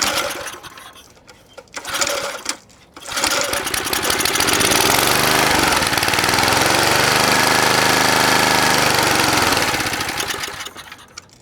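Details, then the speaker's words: Vintage McLane mower, Briggs & Stratton single, sat about 15 years, catches and runs hard with a rough burble; the mixture screw was unscrewed many turns, so it runs too rich. "got it to rich now okay I took the jet out and I back sprayed some of this whatever you want to call this in there and the jet is clear"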